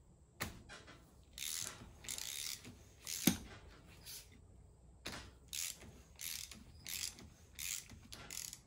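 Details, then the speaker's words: Chinese 125cc ATV engine hand-cranked: slow ratcheting clicks with a tight catch each turn near top dead centre; starter works, so a top-end issue, possibly carbon buildup; engine binding at TDC. "Well, it's not bound up, which means it's probably the motor. Top dead center is just a little tough."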